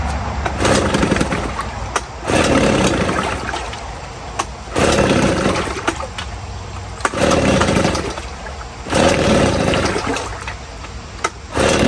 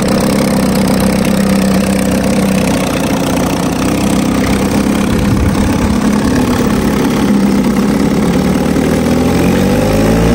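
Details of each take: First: 1950 Johnson HD 25 2.5 hp two-stroke outboard at first start in a water bucket, carburetor adjusted: surges and sags about every two seconds, hunting at idle and won't idle lowest. Owner suspects the points need cleaning. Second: 1950 Johnson HD 25 2.5 hp two-stroke outboard, first start after sitting, carburetor adjusted. It runs with a steady, even buzz, picks up smoothly and pumps water well, but won't hold the lowest idle; points cleaning is planned.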